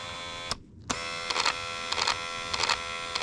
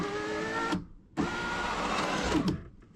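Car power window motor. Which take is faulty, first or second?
first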